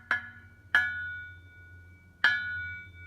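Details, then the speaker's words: Mazda Miata with Goodwin Racing Helmholtz exhaust, engine off: knuckle taps on the Helmholtz chamber ring with a clear lingering metallic tone, unlike the muffler; it matches the rasp under heavy acceleration from 2200-2500 rpm, suspected culprit. "That ringing sound is kind of a derivative of what I get under heavy acceleration around 2200-2500 RPM on up. It doesn't really sound like a Helmholtz chamber as much as a Helmholtz bell."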